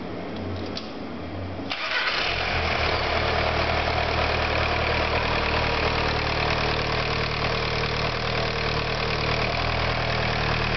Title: VW Sharan start after engine repair